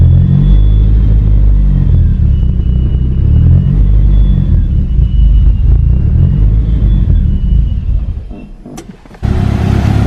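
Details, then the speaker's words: Eagle Talon (DSM) after new head gasket and transmission rebuild, idle screw adjusted, slightly rich: deep, heavy exhaust rumble at a steady, even idle with slight lope; runs properly, though a possible leak sound is noted afterward. "oh it sounds so good I wish you guys can feel the deep bass tone in this car makes this crazy"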